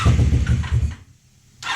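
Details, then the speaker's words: 1987 Honda Super Magna that sat in a field about 10 years, with fuel sprayed in and pump possibly dead: uneven chugging bursts that die out, trying but not on all cylinders; broken choke suspected to hinder starting. "Oh, it's trying. It's trying. It's definitely not hitting on all cylinders, but uh let's see. Probably help if we had a choke, but the choke is busted."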